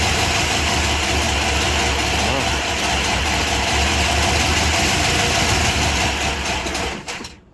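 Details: 1978 Chrysler Newport after fuel pump replacement, first start after long sitting: quick, light ticking chatter over an otherwise steady idle, keeping pace with engine speed. Noisy hydraulic lifters.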